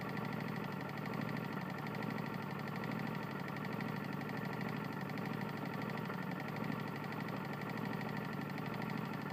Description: My Tecumseh lawn mower has a serious connecting rod issue